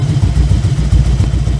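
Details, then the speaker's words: 2000 Harley-Davidson Electra Glide 88ci, warm idle: deep, lumpy idle with uneven thumps and skipped beats, running on one cylinder, other firing intermittently, both fire with choke; misfire from clogged carburetor pilot jet, fixed by cleaning. "It's pretty warm. You can hear it's only running on one cylinder."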